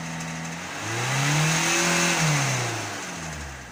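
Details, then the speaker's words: Citroën C3 with an abnormal noise after taking a hit on the road. Engine blips and settles back, with a faint clatter riding on the rev; something seems loose, source unknown. Clacking noise when revving. "comment elle claque."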